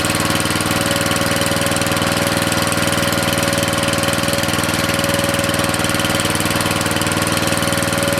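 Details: Briggs & Stratton 13.5 cast-iron-sleeve riding mower engine, rerun with air filter back on after suspected oil in cylinder from engine tilted on its side; steady single-cylinder beat about four firings a second, no knocks, smoke burning off; good running.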